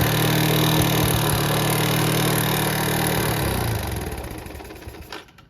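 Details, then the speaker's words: Yamaha Vega R New with white exhaust smoke, at idle: harsh, busy ticking at about four per second, sewing-machine-like, until shutdown; rough engine sound from a worn camshaft and rocker-arm valvetrain. "Dan suara mesinnya pun kayak mesin jahit, Lekku. Kasar suaranya."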